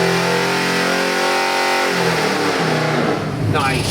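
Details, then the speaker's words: 347 small-block Ford crate engine (302 block, ~430HP) on dyno for 1970 Mustang, Edelbrock 750 carb, MSD distributor: crisp clean revs rising and falling smoothly, no knocks or misses; good oil pressure, AFRs on target, healthy. "That is so nice. Beautiful oil pressure. AFRs are right where I want them. What a gorgeous motor."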